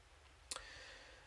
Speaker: when you do get it to move and it passes that threshold as you get you get a click sound hopefully you can hear that click there